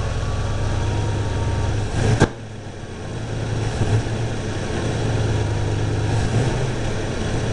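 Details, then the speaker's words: Carbureted V8 with timing advanced to just over 15 degrees, vacuum advance disconnected, plug gaps cut from .050 to .045. V8 idle, then a sharp exhaust pop, sag and slow recovery at part throttle. Part-throttle hesitation and exhaust backfire, cause unknown; owner thinks more timing may be needed. "still got that hesitation I still got a backfire through the exhaust a little"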